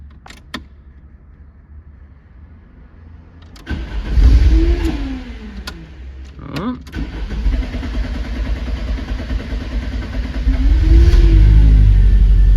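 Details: 1993 Lancia Delta HF Integrale after replacing the fuel pump for a no-start: starter clicks, engine catches with a rising rev flare and settles to a steady, even idle; starts cleanly with fuel pressure restored.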